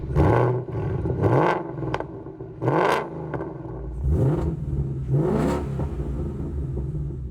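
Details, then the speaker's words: Salvage-auction gen-three direct-injection V8 after the cold start procedure ended, warm: revved about five times, rising cleanly and settling with practically no typewriter tick; a nice quiet motor. "overall it's not too bad and now that the cold start procedure stopped there is pretty much no tick"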